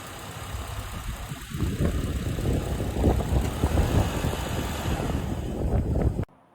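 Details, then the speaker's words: 2009 Honda Accord with about 350,000 miles, shutting off when shifted into reverse or drive: rough, uneven idle labours for several seconds then cuts out abruptly; stall likely from a big hole in the air intake hose. "And when I looked inside my engine bay, I did notice that my air intake hose had a big hole in it."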